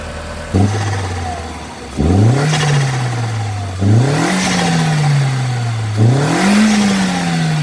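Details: 2000 Audi TT fitted with a new Bosch blow-off valve. Three sharp revs, each followed by a quick hissing whoosh as the throttle snaps shut; the blow-off valve vents properly.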